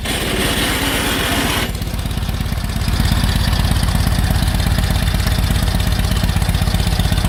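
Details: 1946 Indian Chief, original restored V-twin engine, first run after about 12 years in storage: steady, even low thumping idle, slightly loping but settling into a regular beat; healthy run.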